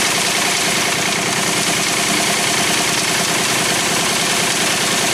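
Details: 1985 Pontiac Firebird (third gen) with rebuilt 1985 Quadrajet carburettor, stock valve cover refitted: steady idle with a constant hissing, whirring rasp that disappears when the serpentine belt is removed; a noisy belt-driven accessory, exact one not yet identified.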